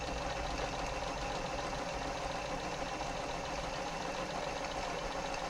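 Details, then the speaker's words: Janome MemoryCraft 3000 sewing machine after a service and a new needle replacing a slightly bent one: steady, even whir with a fine fast patter and no swish or rubbing, running smoothly. Normal running. "That runs nice. Does run nicely. Feels smooth."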